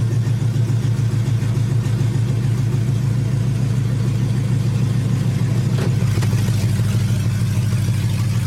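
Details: 5.3 LS-swapped third-gen Pontiac Firebird idling after a new fuel system install (stainless sending unit, braided lines, inline filter, quick disconnects): smooth, steady low idle, even pulse, no knocks, ticks or misses; runs clean, leak check next.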